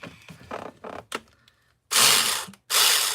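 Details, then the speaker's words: Nitro RC car roto-start attempt with fuel primed in the carb: short smooth high starter whirs with no compression chuffs, spinning free because the one-way bearing is slipping. "That one way bearing is a no-way bearing. Let me see if I can get it to pop."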